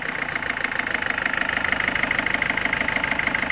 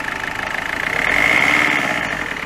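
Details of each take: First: Peugeot 206 1.4 HDi diesel at 188,988 km, which stutters at 110–130 km/h and overheats. Steady, sharp tick-knock about three times a second above the idle clatter. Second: Peugeot 206 1.4 HDi diesel idling after full service, oil change and repairs for misfiring at 110–130 km/h and overheating: even idle, steady tone, no knocks or misses. Normal idle after repair.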